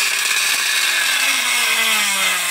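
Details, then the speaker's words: 12 V DC motor fed 24 V; high shrill whine sliding slowly downward as the overdriven motor labours and burns out completely, left in bad condition. "तो ये देखिए पूरी तरह से जो है जल गया आप देख सकते हो हमारा 12 वोल्ट का मोटर था"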